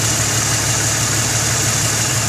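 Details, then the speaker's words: Jeep 4.0 six after swapping to Autolite 985 copper-core spark plugs, having previously spit, popped and backfired (machined head, thinner head gasket): smooth, even idle hum with no misfire beats; runs cleanly. "she's idling nice and smooth the engine is not all shaky nice and smooth and hopefully she runs like how she used to"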